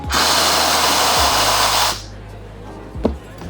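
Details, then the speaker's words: Espresso machine after steam boiler pressurestat turned anti-clockwise from about 1.2 to 0.9–1 bar: steam wand flush gives a loud steady hiss for about two seconds, then cuts off, leaving a faint hum as the boiler reheats and stops; normal. "I can hear the boiler kicking in, boiling the water, and now it has stopped."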